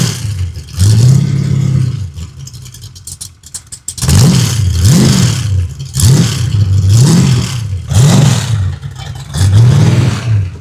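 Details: Freshly built 383 stroker V8 for a 1967 Chevy II Nova, first-ever run on a run stand, full exhaust heard: catches, then sharp blips rise and fall cleanly with crisp exhaust, no knocking; running freely.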